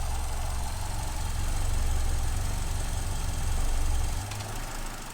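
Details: 2015 Vauxhall Corsa E with codes P0300/P0171, fuel system lean: low, uneven idle that surges then sags sharply near the end, the engine hunting and nearly stumbling. It ran very badly this morning. The lean rough idle has an unknown cause so far.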